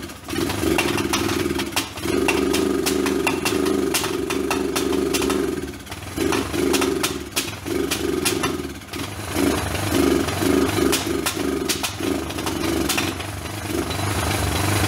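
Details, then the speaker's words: Old Kawasaki four-wheeler basket case, first start after rough top-end rebuild, run on battery charger: lumpy running, loud irregular pops, rpm surging and sagging; misfiring and backfiring, owner suspects low voltage affecting ignition. "it could affect the way it's firing because it was backfiring so I knew that had some kind of problem with the ignition"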